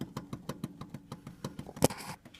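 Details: Kia Ceed, right steering tie rod rocked back and forth by hand: quick sharp clicking knocks about six a second; left side silent; worn right tie rod end suspected.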